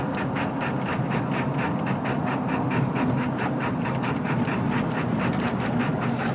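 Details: 1999 Ford F250 7.3L diesel, 155k miles, Banks tuner, aftermarket turbo, intake, exhaust; slowing for a light, in drive, uneven lumpy idle about two pulses a second; rough idle, owner suspects burnt valve cover gasket harness.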